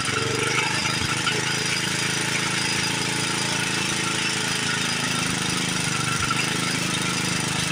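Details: Old Montgomery Ward 32 lawn tractor, carburetor ultrasonically cleaned, new plug, choke set: small engine runs with a ragged, uneven beat and hissy clatter; runs poorly, carburetor likely needs replacing, heavy smoking, rings suspected.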